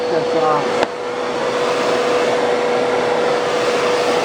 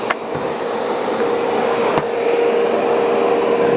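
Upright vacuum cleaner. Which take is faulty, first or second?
first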